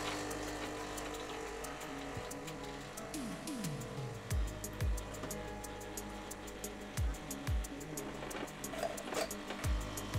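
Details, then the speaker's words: Nivona NICR 788 espresso machine, previously showing intermittent error 8 from a brewer drive gearbox problem, tested after servicing. An even grinder motor whir, then hissing water pulses and clicks as it rinses, with no leaks. Normal grinder and rinse operation. "działa Słuchajcie młynek Słyszeliście działa woda się płucze nic się na razie nie leje nic nie wybuchło"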